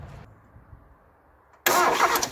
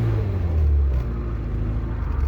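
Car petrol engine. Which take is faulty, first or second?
first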